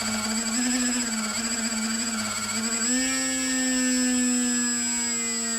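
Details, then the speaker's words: Eachine AR Wing Pro SE brushless motor with Turnigy Trust 55A ESC, under prop load around 60% throttle: whine warbles and stutters for a few seconds then settles to a steady higher tone; ESC desync, faulty ESC. "Oh, it's the ESC. That is a bad ESC. Holy moly. Turnigy Trust. That sounds like a bad ESC, right?"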